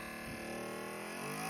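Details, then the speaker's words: Serinette (mechanical music organ) driven by a small salvaged mini motor with speed variator, felt-isolated to cut noise; quiet even motor whine easing down as the variator lowers speed, then settling, normal running at reduced speed. "le variateur c'est ça en fait donc tu vois il va tu vois ça diminue"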